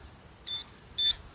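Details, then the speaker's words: Garrett Pro-Pointer AT pinpointer switching on: two short, clean high-pitched beeps about half a second apart, light comes on; normal power-on beep. "so you turn it on you'll see the light come on in order to change it you press and hold down the button you'll see the light flash"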